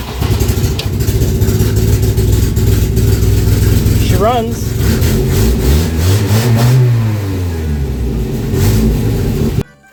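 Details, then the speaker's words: 1967 Volvo Amazon 122S, revived after being abandoned, started before brake booster work: engine catches and revs with a sharp ticking puff on each firing pulse; exhaust manifold gasket leak getting worse with each run. "last few times i've run this thing sounds like that exhaust gasket is uh getting worse and worse"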